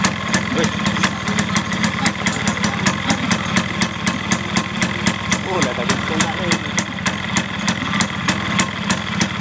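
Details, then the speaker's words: Yamaha Fiz R two-stroke after fixing the cooling fan bolt that was too long (fan jammed or loose): steady idle with crisp firing ticks about four a second, fan spinning freely with no scraping. "Jalan enak sih. Nah, langsung kita starter ya, kita bebas."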